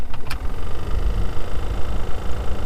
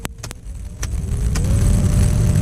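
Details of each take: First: 2003 Toyota Matrix blower motor before replacement: fan running with a soft rhythmic tick about four times a second over a low whoosh; ticking blower motor, to be replaced with part BM0016. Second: 2003 Toyota Matrix after replacing the blower motor (part BM0016) to cure a ticking noise: after a few clicks a low steady hum, tone rising slightly as the fan spins up; runs smoothly.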